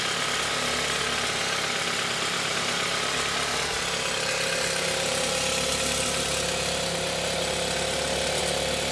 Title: Tiguan Allspace 2018 fuel rail rattling noise